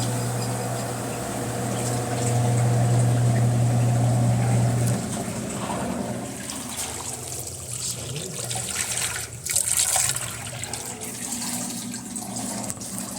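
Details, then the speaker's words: Electrolux LT11F washing machine while draining: steady low hum with a coarse rattle under gurgling water. The noise comes from a rough drain pump. "gente o barulho Tá aí ó bomba rou Esse é o barulho da bomba"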